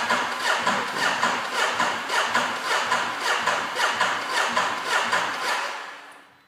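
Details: Ducati Multistrada S DVT: steady cranking pulses just under two a second that never catch or fire, then fade out; the engine cranks but won't start.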